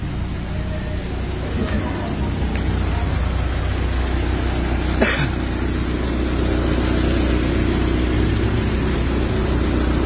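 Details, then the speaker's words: Orange Mitsubishi Lancer: smooth, even low idle with no clatter, one brief knock near the middle, otherwise quiet and healthy; normal idle. "Ayan, tahimik na yan boss. Yung Lancer na orange."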